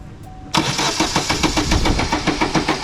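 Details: Vauxhall Astra no-start: steady cranking at about three and a half turns per second, never firing; no spark, traced to a failed ignition coil pack.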